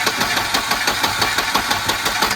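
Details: Long-stored red Volvo 240 turbo, fuel pressure confirmed, cranked by starter button: steady rapid chug about six times a second, no catch yet; long crank before it fires.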